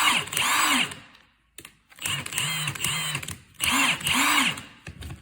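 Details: Milwaukee cordless impact wrench rated 1,400 ft-lb with three settings, run on another battery: three short trigger pulls, each motor whir rising then falling in pitch with a sharp rattle on top. It sounds healthy and strong.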